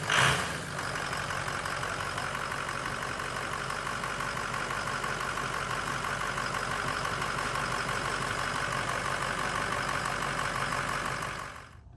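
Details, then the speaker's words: Ford 6.0 Powerstroke diesel after standpipe, STC fitting and branch tube delete kit install: idles with a slightly uneven, loping beat over steady clatter because air remains in the high-pressure oil system; needs idling and hard driving to purge it. "It's going to run just a touch rough cuz it does have air in the system."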